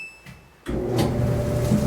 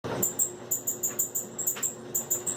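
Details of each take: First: Samsung dryer after repairing the squeaking, stuck drum by cleaning or replacing the roller wheels: drum starts with a steady low rumble and even hum, no squeak or scrape; running normally. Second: Samsung dryer running with sharp, high chirping squeaks about twice a second from worn or dirty drum support rollers, before it stuck and stopped. Fix: clean or replace the roller wheels.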